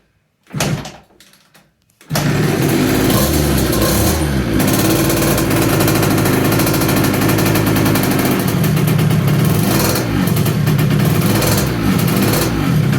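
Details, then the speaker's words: 2007 KTM 65SX two-stroke, first start after top-end rebuild with new Vertex piston kit and reused gasket, choked; after a couple of kicks catches and holds a steady crackling idle without dying or misfiring, runs healthy. "well she started pull the bike up next i'm gonna open this thing sit on it nice try to kick it hold on you think so the ktm lives"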